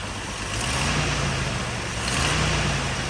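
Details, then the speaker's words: 1988 Jeep Wrangler YJ with a rebuilt engine, after an electric fuel pump conversion: picks up cleanly on the blip with no bog. When cold it used to fall on its face and almost die; it now runs much better. "yeah, before, like I was saying earlier, you'd go like that, it'd fall on its face and almost die when it's cold. And oh yeah, it's running way, way better now."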